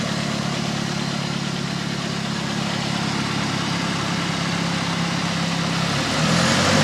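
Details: 2000 Chevy S10 with 2.2 four-cylinder: busy metallic rattle over the engine hum, growing louder as revs climb at the end; cause undetermined.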